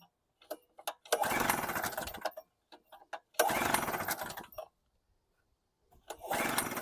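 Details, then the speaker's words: Storm Cat 700W Harbor Freight generator, 63cc two-stroke, fitted with a new test spark plug: repeated one-second bursts, catching then dying every time. The plug swap made no difference; the carb is to be ultrasonically cleaned next, cause unconfirmed. "Plug didn't make a difference, same symptoms, so third time's going to be a charm."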